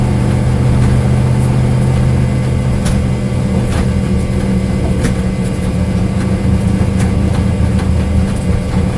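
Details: Corvette engine misfire at idle: lumpy, uneven idle with an irregular stumble every few beats instead of a steady rhythm; cause suspected but not confirmed.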